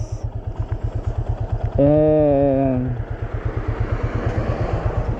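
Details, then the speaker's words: 2024 Yamaha Fazer 250 single-cylinder at 65,000 km, idling, with a steady tapping about three times a second over the exhaust beat. The owner, who rides hard and says the engine runs very hot, suspects the connecting-rod bearing; not confirmed. "como que se diz não tenho certeza mas eu creio que é o rolamento da biela cara"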